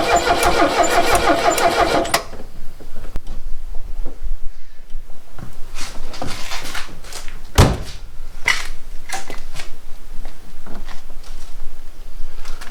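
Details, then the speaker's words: 1969 Renault 16 petrol, not run in years, on a rigged external fuel supply with fresh petrol, first start attempt: starter cranks steadily about two seconds, never fires, then a few light clunks; cranks but won't start. "So that didn't work. Shit. Let's try it one more time with some Go Juice."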